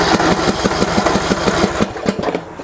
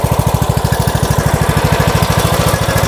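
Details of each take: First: Yard Works (MTD) lawn tractor, dirty Briggs & Stratton single-cylinder engine, cranked on choke: starter chugs about six even beats a second, never fires and winds down; no fuel reaching the carburetor. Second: MTD Yard Works lawn tractor, Briggs and Stratton single-cylinder, after fixing no fuel to carburetor and cleaning fuel bowl: catches and settles into steady, even putter with brief dip; normal running.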